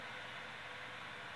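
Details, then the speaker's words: CPU fan in an older computer after cleaning out the dust and re-applying thermal paste, with games running and the CPU at a constant 64°C: soft steady airy whoosh, no rattle, grind or whine; still audible but noticeably quieter, normal. "overall I would say this is a success just because I can still hear the fan but it isn't distracting me and it isn't annoying it isn't it's definitely not as loud as it was noticeable improvement for sure"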